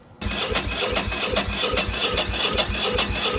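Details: 2000/2001 Ducati Monster 900 that sat for a while, cranking with a spark tester fitted: even starter chug around two and a half beats a second with no firing at all. A little spark is present, but the fuel pump is dead, so there is no fuel.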